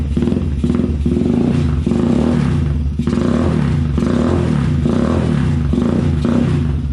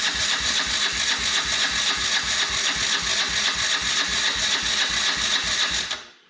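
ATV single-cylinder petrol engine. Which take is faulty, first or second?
second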